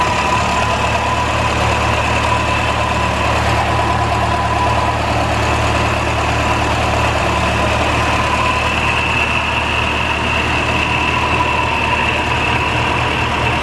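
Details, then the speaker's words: 1949 Ferguson TO-20 tractor, Continental Z120 four-cylinder, first start after sitting 15–30 years, no coolant: steady, slightly rough idle with a thin high whine, generator bearings suspected bad, unconfirmed. "wow sounds like the generator bearings are really bad though that sounded pretty rough"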